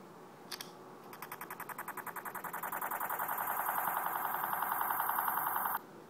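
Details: One-week-old iPhone 4 (32 GB, not jailbroken), lock/turn-off sound: rapid clicking speeding into a harsh, steady high buzz for about five seconds, then stopping dead; weird "transformer" electronic noise, cause unknown.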